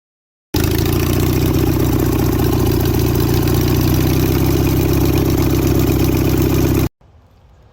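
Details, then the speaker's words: International Harvester 4130 skid steer engine: steady, slow, rough cranking about four beats a second with no firing; no spark, suspected coil or pickup unit; crank no start. "guys so this thing has no spark as I said and it's either the coil or that weird pickup unit that was inside it"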